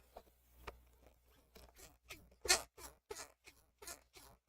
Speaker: can you hear that squeakiness I'm going to try to fix that real quick I don't think it's just my bushings either I think it's my uh pivot